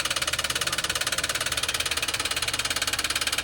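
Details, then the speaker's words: Toyota Wigo hydrolocked by water: sharp, hard metallic knock about three times a second, steady at idle and loud over the engine, from a bent connecting rod; how many rods bent is unknown. "basta connecting rod lang nadadali niyan >> ang ano niyan sir connecting rod lang"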